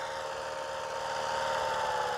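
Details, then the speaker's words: HR 194 mower after engine reassembly, first test run: single-cylinder engine ticking over at a steady, even idle with no vibration, hunting or misses; sounds healthy, idle could be raised slightly, warming up. "le ralenti ma foi il est pas mal le [Applaudissements] ralenti je crois que ça demanderait quand même un petit peu à augmenter un peu l'accélérateur"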